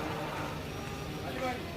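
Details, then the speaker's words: 2015 Nissan Urvan diesel with a gear noise complaint: steady diesel rumble with a dry, rough whirr that appears when the clutch is pressed; identified as clutch release bearing noise. "Clutch बैरंग की आवाज है"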